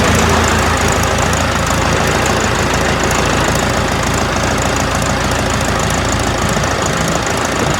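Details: Ford 4040 industrial diesel tractor, first start after injector rebuild (all four installed, valves lashed cold), started with a shot of ether on a cool day: loud uneven clatter with dropped firing pulses, missing from air still in the fuel lines.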